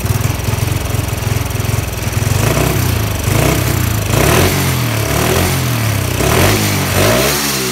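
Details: Honda Wave 110i restored from modified to stock parts (crankshaft, piston, head, valves, cam chain, camshaft, exhaust, standard injector); after starting the engine surges and stumbles unevenly instead of settling to steady idle; cause unknown.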